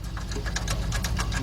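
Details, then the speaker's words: 2004 Nissan Maxima, tap test on the exhaust under the car: quick, tinny rattling buzz in uneven bursts over low engine hum, from a rotted-out heat shield loose against the exhaust toward the rear. "let's uh hit sounds like something rattling toward the back all right let me go further back and see what we can find"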